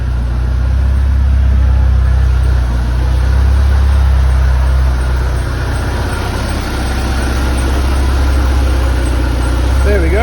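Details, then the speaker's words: Flood-damaged Porsche 968 cabriolet, first start after long battery charge and jumper pack: even steady low rumble about four pulses a second with no knocks or misses; idles smoothly and runs phenomenally, though apparently not charging. "[Music] she runs phenomenal and she sounds good"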